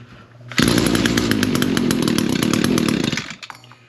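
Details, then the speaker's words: Echo PAS225 two-stroke trimmer, cold start with primer and choke, reported to run but not throttle up: short choked, rough, fluffy revving that never reaches a clean high scream; bogging at full throttle, carburetor or exhaust port suspected. "It definitely is not uh cranking out all the way. Either we've got a carburetor problem or I'm think I'm going to go right straight to the exhaust port."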